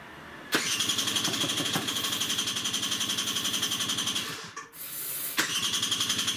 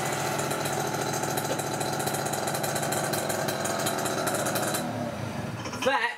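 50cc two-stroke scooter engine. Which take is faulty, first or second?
first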